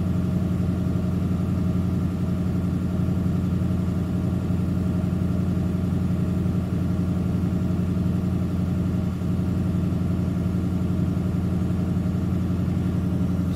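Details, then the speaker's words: Ford 7.3L Powerstroke diesel idling at slightly raised rpm while the Launch X431 scan tool runs its tests: steady, even diesel clatter with no misses or knocks, normal raised idle. "so basically there's nothing to see there but they're a little bumped up an RPM now it's doing this this isn't me she's running running through some sort of cert tests and various different things"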